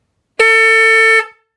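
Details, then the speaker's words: Car/Jeep horn newly installed on a 2009 Trice QNT recumbent trike, after reseating a knocked connector: single strong steady blast just under a second, clear and full, no rasp or wavering; normal horn. "So there you go, car horn installed on a 2009 Trice QNT, and I think that one should have no problems waking anyone up who steps in front of you."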